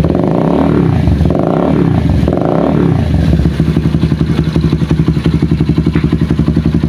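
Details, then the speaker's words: Honda CBR150R LED after an ECU reset for an idle (IACV) sensor fault that made the idle rise and fall and hang on throttle close. After a brief blip the idle settles into an even, quick putter with no hunting; steady, smooth idle. "Oke sini langsung langsam stabil tidak naik turun ya dan untuk lang suara langsamp pun juga lebih halus"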